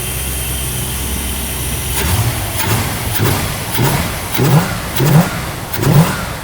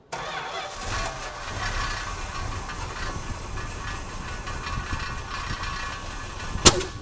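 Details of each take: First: Never-sold 1974 Cuda, about 62 original miles, original Thermoquad carburetor, throttle linkage needs lube; repeated blips about once a second give a deep V8 rumble that rises and settles cleanly with no vibration, so it sounds healthy. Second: New-old-stock 1974 Plymouth Cuda, never sold, with 64 original miles; it ran out of gas and the fuel pump may not be pulling from the tank yet; the engine coughs and stumbles roughly, running lean from fuel starvation.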